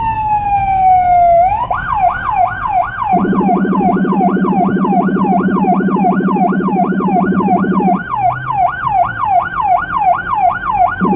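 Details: Siren on an emergency run on cobbled Budapest streets: fast rising-falling yelp near one kilohertz over a deep pulsing Rumbler rumble (180–360 Hz low-frequency tone) for several seconds; siren and Rumbler working normally.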